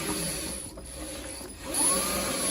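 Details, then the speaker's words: Renault Zoe ZE40 at 116k after new motor bearings and reduction gear replacement: faint gear whine rising and falling as the wheels spin forwards and backwards on the lift, no grinding, sounding much better. "yeah that's sounding a lot better sounds a lot better so you can see it it sort of spins the wheels forwards and backwards and and that's kind of like a um traction thing so it's trying to sort of see if the car is going to roll and that's just how The Zo always do it"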